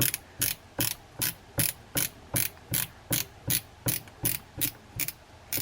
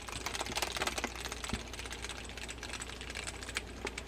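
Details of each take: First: Daiwa Lexa 300HL baitcasting reel after cleaning out dirt during service: crisp, regular clicking about two and a half times per second as the spool turns; clicker ratchet working normally, no grinding. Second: Daiwa Lexa 300HL baitcasting reel with the drag fully tightened, never opened by the owner. Cranking gives rough, fast rasping and clicking grinding, caused by dirt and grit in the gearing.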